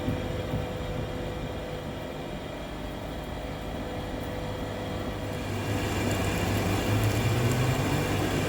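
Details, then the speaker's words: Lathe machining a seized piston off a 120-tonne Komatsu mining excavator bucket cylinder rod, held in a 4-jaw chuck with steady rest: thin sustained squeal over the drone as the tool cuts hard, heat-affected steel, likely heated during earlier disassembly attempts. "So that high pitch squeal you can hear is an indicator that that material is extremely hard. It does look like there is a heat affected area there."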